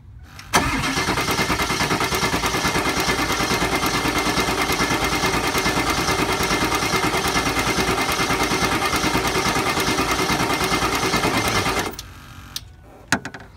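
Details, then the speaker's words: 2002 Ford Excursion 7.3 diesel, high pressure oil pump deadhead test with gauge, ICP sensor already replaced: about twelve seconds of steady cranking at roughly three turns a second, never catches; reads only 1500-1600 psi, owner suspects failing HPOP or IPR valve. "that was 15 1600 psi so I assume my high pressure oil pump is going out on my truck or it is out or my IPR is going out"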